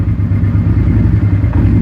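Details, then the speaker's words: 2001 Suzuki SV650 carbureted V-twin just after a cold start: a lumpy low idle with an intermittent knock and popping from the rear cylinder that fades as the engine warms; owner advises keeping rpm above 1200 while cold. "you can hear the back ones knocking every once while you hear the pop pop it's getting even better now because it's warming up so it's actually able to burn the fuel"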